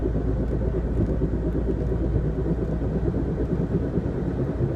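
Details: 2001 Ford Focus at high speed: steady road rumble with rough, gritty scraping from the front driver side, persisting after replacing both front rotors, sway bar links and driver side wheel bearing; cause not found.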